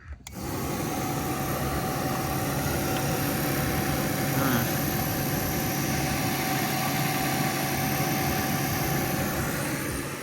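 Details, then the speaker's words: 2002 Honda Rancher ES ATV, sat 12+ years, cooling fan rewired and tested, blowing back on the motor through the oil cooler: steady whirring hum at constant pitch, no rattle or scraping; fan works normally. "seems be working pretty good when you hook these fans up you got to make sure it's blowing back on the motor and pulling through the through the oil cooler and instead of pushing forward"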